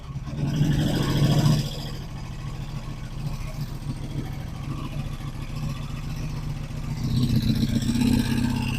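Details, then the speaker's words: 1985 Honda Magna V30 V4 first start after restoration: rough running under throttle blips with loud valve clatter, worsening with revs; caused by a bad valve adjustment that killed compression in one cylinder (105 before). "When you're close to the engine, it sounds like it's about to explode. Disgusting. It's valve chatter, but like valve chatter and then some."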